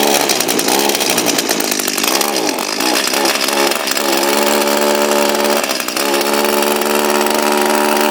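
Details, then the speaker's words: Echo SRM230 two-stroke string trimmer, hard to start and not running right: high buzz that wavers and sags instead of holding full revs; a restriction slowing the head or a head needing grease is suspected, not confirmed. "so there's a couple of classes that could be we could have some restriction down here that's causing it to not go around as fast as it could"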